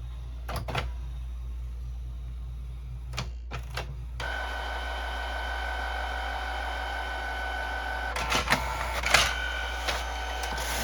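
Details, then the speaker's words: Canon Pixma printer/scanner that had quit feeding paper, opened up, with a jumper fitted, after holding the green button for a test page. Short motor whirs and clicks, then a steady feed-roller run and a few clatters: normal paper feed. "Well, nothing else we can enjoy. Just printer noises. There it goes."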